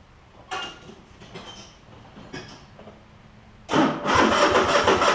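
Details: Cub Cadet GT1554 garden tractor, 2006 27 hp Kohler Courage V-twin, after new ignition coils and belts, blade not engaged, warm day: quiet fumbling, then the twin catches at once and runs even and strong, no miss or stumble.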